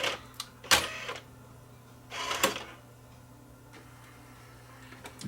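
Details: Sony DVP-CX870D 300-disc CD/DVD changer: a few sharp clicks, then a short low motor whir as the door drives open smoothly; the mechanism sounds fine.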